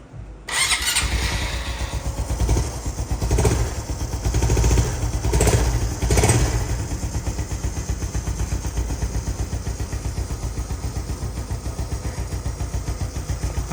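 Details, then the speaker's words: Rebuilt Honda Wave 125 FI, freshly reassembled with 1 litre of oil, fires and settles into a steady idle with a light, quick ticking rattle; overtight timing chain caused by the owner's custom modification. "Tadi tu bunyi timing chain. Timing chain tu ketat sangat sebab aku ada custom sedikit supaya dia bahagian"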